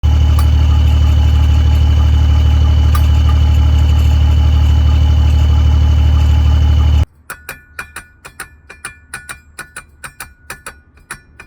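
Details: BMW idling loudly with a fast, even pulse and sharp light ticks about three times a second: a weird transmission rattle, said to be an easy, cheap fix for under $5.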